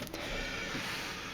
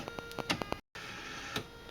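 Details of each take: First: Salvaged CD/DVD drive number four on 12V-to-5V test rig, second power-up: short smooth motor whir as the tray loads, no clicking or stalling. Normal loading; owner suspects the earlier trouble was too much twist in the tray. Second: Salvaged CD/DVD drive (drive number four) on a test rig, at power-up: quick bursts of sharp clicks and ticks, cutout, short whirr. Struggled at initial power-up; owner suspects too much twist in the tray.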